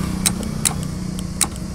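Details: Honda Activa self-start problem: sharp single clicks, about three in two seconds, and the starter never turns over. Starter relay or starter motor suspected, not confirmed.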